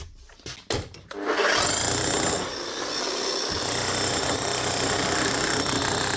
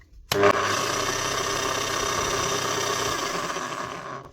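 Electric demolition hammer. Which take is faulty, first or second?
second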